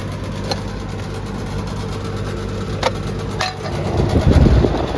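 Steady low hum with even fan drone and no knocking or rattling over outdoor background; the condenser is running normally.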